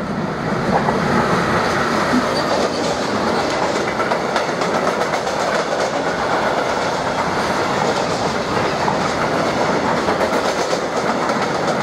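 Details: Class 189 locomotive 189 005 passing with a short freight train, rapid clattering wheel beats from many flat spots on the wagon wheels.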